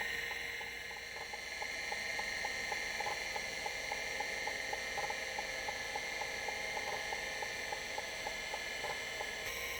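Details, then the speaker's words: Vintage Seagate ST251 5.25in hard drive straight from the box, untouched, during low-level format: smooth spindle hiss and whine with regular, clock-like head ticks about four a second; bearing and head movement sound clean and healthy. "nice clean sounds coming out of this drive the bearing sounds really nice uh the head movement sounds really nice and i haven't done anything to it"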